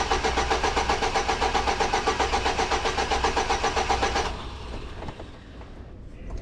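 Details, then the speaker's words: 2006 Chevy Silverado with distributor, cap, plugs and wires already replaced: steady cranking at about four turns a second for four seconds, never firing. The coil shows no control signal while cranking. Crank no start with no spark from a failed ignition control module. "Yep, I got no control. So what gives this thing control? Probably from the distributor."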